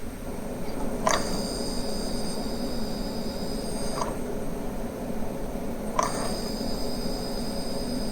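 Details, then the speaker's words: Accurascale Mk2B model railway coaches on a powered layout section: thin, steady high whistle with faint clicks, coming from the charging circuit for the lighting stay-alive capacitor, not the lights; stay-alive capacitor charging whine. "it's not the lights themselves but the charging circuit for the stay alive capacitor switching the lights off with the magnet doesn't stop the noise"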